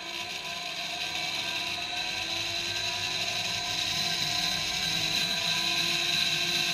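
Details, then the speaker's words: Used REVA G-Wiz motor free-spinning on the bench, regen disabled, in forward drive: steady high whine with a faint light rasp underneath; owner worries the bearings have gone, unconfirmed. "and because i haven't got regen on it'll just run then i'm a little worried the bearings have gone in there because i can hear a bit of a noise"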